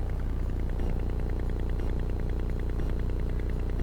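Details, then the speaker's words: Buried irrigation sprinkler valve (station two) driven by a Chat-R-Box device on the solenoid power wire: rapid, even low clicking about 200 per minute as the plunger pulls in and releases; valve powered and working, used to locate it. "that's that valve going on and off very cool"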